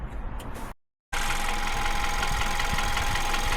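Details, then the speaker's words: VW New Beetle 1.2 at idle, after replacing the high-pressure fuel pump roller cam follower: light tapping about three to four beats a second near the alternator side persists; cam follower was not the cause, source still unknown. "So you can probably just about hear the tapping noise that we were referring to."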